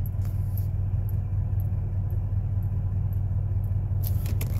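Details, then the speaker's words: Rusted 1999 Ford F150 at idle: a deep, steady rumble with a faint, light tick about twice a second; owner suspects a manifold leak or lifter tick, not confirmed. "It sounds like the motor's getting a little ticking, like a manifold leak. I don't know what it is, but I hear a little tick in it now."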